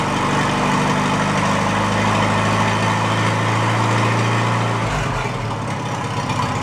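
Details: Farmall A tractor, newly installed engine, after plugging intake manifold holes; running without coolant or radiator to warm up before valve adjustment: steady, even idle, smooth low thrum, no knocks or misses, good oil pressure; healthy.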